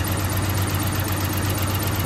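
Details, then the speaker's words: 1985 Ford Ranger, Ford 2.8 V6 with solid lifters, warming up at idle: rough missing idle with light quick tapping from one of the first two driver's-side cylinders; too much valve lash suspected, possibly something deeper, not confirmed. "okay i've got it to idle down a little bit it's you can see it's missing you can hear possibly the tapping coming from one of these two cylinders"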